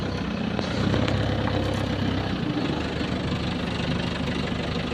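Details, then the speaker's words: 2007 Isuzu Crosswind XT diesel after its EGR was cleaned for the first time in 20 years and everything reinstalled: steady low chug, even firing, no misses or knocks; engine sound became finer; smooth normal idle. "pumini tunog ano?"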